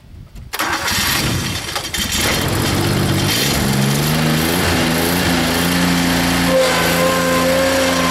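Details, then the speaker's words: Rebuilt Grasshopper 721 mower, straight three-cylinder Kubota gasoline engine (cleaned carburetor, new fuel pump, plugs, air filter): cranks, catches and settles into a steady even drone with blades engaged; running smoothly, though owner says it bogs quickly in tall grass. "this mower has tons of torque but it doesn't have a lot of I don't know how to word it but you get in the Tall Grass it'll bog down kind of quick"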